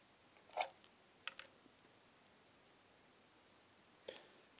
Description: This AC Adaptor makes a clicking noise. I have measured the Voltage - it is correct. It is clicking more often if a load is connected.